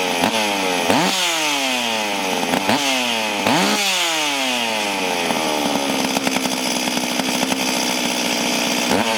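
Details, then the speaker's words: Stihl MS440 chainsaw, clean but reportedly down on power, start and test run before port work; sharp blips rising and falling with gritty rattling whir over the engine; noisy clutch bearing. "But, um, we the clutch bearing on it making a lot of noise. We're going to have a look at that."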